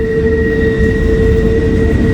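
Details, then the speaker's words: Long intermodal freight train with a single head locomotive plus a mid-train DPU passing: a high, steady squeal over the rumble and rail noise. The flange greaser is suspected to be out of grease. Wheel squeal. "dpu boy you hear that squeaking you think maybe"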